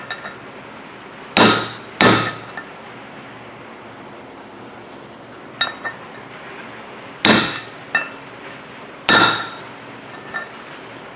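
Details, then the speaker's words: Hammer-tapping a wheel bearing race in on a 1975 VW Beetle during a drop spindle and disc brake conversion; sharp metallic taps whose ring turns duller and solid as the race bottoms out, showing it is fully seated. "but when you hear that tone change, uh, you're seated."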